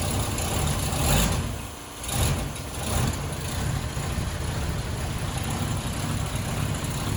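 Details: 1934 LaSalle sedan with 99,662 miles, cold start after the electric fuel pump primes and the carburetor unloads with pedal taps: a raised, uneven fast idle surges a couple of times, then settles into a steadier run.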